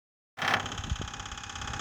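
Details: Kia Sorento engine starting and settling to idle with a faint light tapping under the hum; the knock is suspected to be piston pin knock, unconfirmed.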